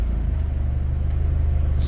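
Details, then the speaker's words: Mitsubishi Galant Shark automatic, idling with aircon on, in reverse with the brake held. A steady, even low thrum with no shake. In drive there is only slight, reduced shaking: smooth idle in gear. "Sakto lang. Walang karagkag. Neutral drive. Karagkag. Nabawasan. Nabawasan siya ng bahagya oh."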